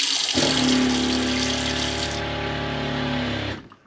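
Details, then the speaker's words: Franklin CX22 caravan diaphragm water pump after repair (reassembled, system bled), switched on cold: steady even buzzing drone with water flow then clean cut-off, normal running; unsecured pipework adds some vibration noise. "the reason is making noise i haven't actually re-secured the pipework to the side which makes it vibrate and make a bit more noise but i should do that now that i know it's fixed"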